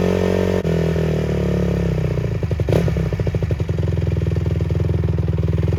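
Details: Rebuilt 2007 Honda CRF150R started after the rebuild (valve seals noted as installed wrong): steady single-cylinder thump settles into an even, crisp beat through throttle blips, with no knocks or misses; the engine runs healthy.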